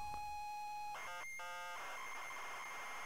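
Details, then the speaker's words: ZX Spectrum cassette tape playback: about a second of steady high pilot tone, then a clean burst of chirping data warble with no dropouts; a proper, good load. "Oh, that was actually a proper load. Hang on. There was something loading properly there."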